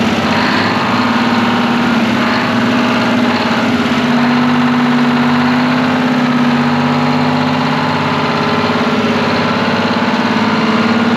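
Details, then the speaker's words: Twin-turbo Detroit Diesel 12V71 generator after fixing a clattering fan: steady, even idle with smooth low drone, no rattle or clatter; engine running healthy. "dude what a sweetheart of a motor sounds way better than a fan clattering around on it much better yep"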